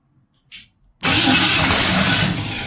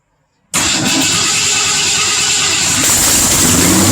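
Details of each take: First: 1962 Mercury Comet with 302 V8, points distributor, timing roughly set, gas poured into carb, first start in years: click, then loud catch that sags after a second and a half; fires briefly but won't keep running. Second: Unknown 302 V8 in a 1962 Mercury Comet, first start in years, points distributor with timing set, gas poured into the carburetor, carb not yet bolted down: brief crank, clean catch, steady strong idle, then shut off.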